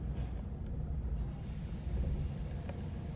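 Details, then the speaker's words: 2012 Ford Mustang 3.7 L, 70,000 miles, check engine light on, stalling, hard starting, lack of power, strong gasoline smell from exhaust: lumpy, uneven stumbling idle with wandering rpm, a misfire from fuel injectors leaking into the cylinders. "i smell gas yeah that engine this engine is running like crap look at the rpm"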